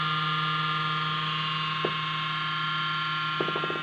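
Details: Computer cooling fan hums loudly at power-on with a bright whirring tone, typical of a dry, worn bearing; the noise stops once the computer has booted.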